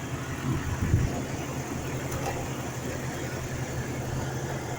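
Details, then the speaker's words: Jeep Cherokee 4.0 L after water pump replacement, idling; smooth, even hum with no squeal or grinding from front of engine; previous water pump noise gone. "definitely not making that noise I would say successive"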